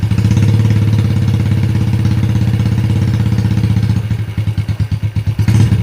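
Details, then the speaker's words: Yamaha Jupiter Z after fitting cylinder block and head, first start; single-cylinder steady idle thump that slows and winds down, smooth right away, oil seen circulating, normal idle. "Langsung halus suaranya."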